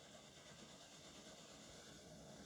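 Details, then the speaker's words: 1950s Burmos pressure stove, lit once the methylated spirits preheat burns off and a little pressure is pumped, gives a steady, even soft hiss with no sputter or pulsing; the burner is running normally. "Hopefully we'll give it a little bit of pressure. Oh, and we're okay. You can hear it hissing."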